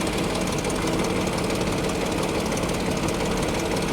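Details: Salvage-auction car idling with hood open: busy uneven rattle over the engine, no clean beat; owner notes odd exhaust back pressure and coolant reservoir previously removed, suspects a problem, cause unclear.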